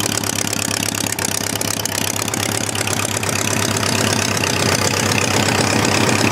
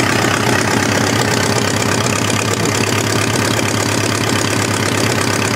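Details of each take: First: Homemade four-cylinder Briggs & Stratton engine after starter/generator replacement, having sat all winter: a busy, steady patter at constant idle with no misses or surges. Cylinder temperatures are being checked with a temperature gun. Normal idle. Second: Homemade four-cylinder Briggs & Stratton engine after starter/generator replacement: a busy idle with a slightly uneven beat and an occasional skipped firing. Temperature-gun readings show one cylinder running cooler, which they think must be missing now and then. Uneven idle with occasional misfire.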